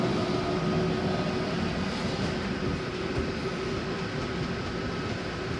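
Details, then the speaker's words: Steady motor drone with an even grinding layer as the slide-out on a Gulf Stream 295SBW RV retracts; grinding is normal, the slide keeping itself from going in too hard. "I want you to know that it's okay to hear that grinding noise. It's just a slide keeping itself from going too hard."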